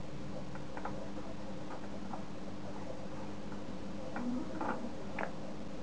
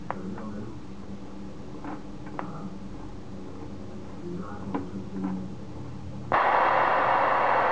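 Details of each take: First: Homemade Geiger counter built from an internet schematic, on first power-up at 15 V. Scattered sharp ticks come at irregular gaps of roughly one a second over a faint steady hum. Counts are infrequent and temperamental, but the counter is detecting normally. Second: Homemade Geiger counter built from an internet schematic. After the tube voltage is turned up, irregular clicks of about four per second give way to a loud continuous hiss. The tube appears to be saturating, suspected but not confirmed.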